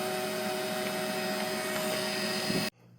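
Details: Roomie Tec (Roomie Vac Elite) cordless vacuum after wire repair and flipping the reversed plug: steady high motor whir with fixed tone, then cutting off; vacuum and beater bar running normally. Cracked tube not yet taped.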